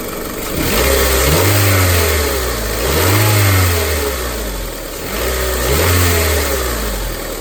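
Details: 2001–2005 Honda Civic LX with a strange noise when accelerating: engine revs up and down repeatedly with a faint rattle on each rise, traced to a worn-out, failed timing belt tensioner.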